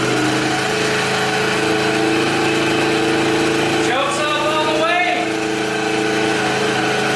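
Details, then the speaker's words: 2020 Yamaha Grizzly 90cc single-cylinder ATV after carburetor fix, choke fully off, not yet warmed up, idle not yet set: steady run, revs lift briefly then settle to even idle; running cleanly without choke. "it's best to have the engine warmed up and then set your idle where you want it so we'll do that tomorrow before we ride it as well as clean air filter"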